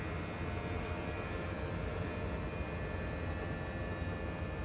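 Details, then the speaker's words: Mid-2018 Tesla Model 3 after AC compressor replacement, during recharge with refrigerant: even low hum with a faint steady electric tone, no knock or rattle; the compressor just cut on once the low-pressure switch was satisfied, running smoothly. "now the compressor just turned on you hear that"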